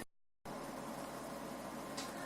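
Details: Desktop PC, unplugged for about two years, powering up after fan cleaned and refitted: steady even fan whoosh with no grinding, ticking or rattle, indicator light blinking; a normal, healthy startup.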